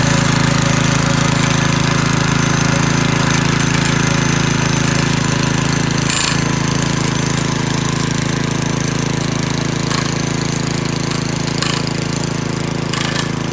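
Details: McClane 3.5hp walk-behind edger with Briggs & Stratton engine, revived after years sitting with a carburetor tune-up, oil change and fresh fuel, started cold and cutting. A steady, even single-cylinder drone holds speed under blade load, with no misses or knocks. Runs well and cuts a nice line.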